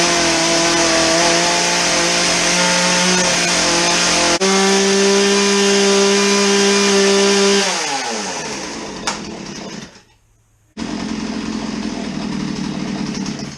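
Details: Chainsaw on fresh 50:1 premium ethanol-free fuel after old contaminated fuel was dumped: holds a loud steady high rev, then sags and dies off throttle; will not idle, stalls.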